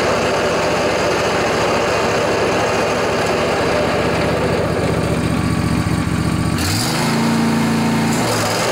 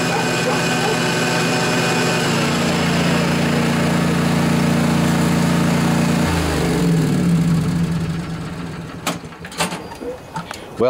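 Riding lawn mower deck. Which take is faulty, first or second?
first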